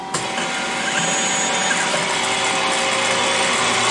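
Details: 1983 Citizen L12 after repairing the broken high-speed milling shaft, live tools switched on: steady high-pitched whir that comes up quickly and stays even with no knocking or rattle; live tool spindle running smoothly.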